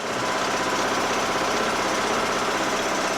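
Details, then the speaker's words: John Deere L100 lawn tractor single-cylinder engine at low-throttle idle, after removing the fuel-mixture screw and blowing its passage out with carb cleaner: steady, even idle with a quick regular beat and no hunting; surging is gone and it runs great. "low throttle idle doesn't surge anymore runs great"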